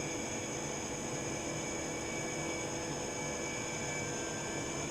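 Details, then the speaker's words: Norden Bombsight C-1 stabilizer gyro motor on direct hookup, near 20 volts and about 120 watts, voltage turned down to limit current; smooth, steady high-pitched whir with an even hiss and no grinding, still accelerating while current drops. Normal spin-up. "It's, I can still hear it accelerating. As it's accelerating, the current's starting to drop."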